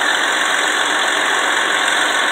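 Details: 2004 Ford Freestar V6 after misfire troubleshooting, popping and backfiring earlier, with collapsing hoses replaced by heavy-duty ones: smooth, even idle with a steady hum and no stumble or miss. Normal idle.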